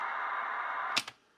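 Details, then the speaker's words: Retro cassette player with a belt in good condition, playing a data tape: a steady, high warbling data screech plays cleanly, then two clicks as it stops. The player reads the tape properly; normal playback. "it's uh playing the zackon tape that sweet sweet Screech of data"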